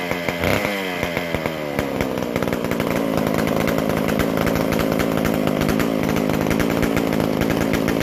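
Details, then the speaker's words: McCulloch Super Pro 125C chainsaw, first fire after cleaning, intake boot and new-old-stock muffler, after idle speed/mixture adjustment: sharp two-stroke buzz picks up and holds a steady, even high rev without stumbling; running cleanly. "So, all right. Hopefully, we'll be right back to pulling her over. That sounds a lot better."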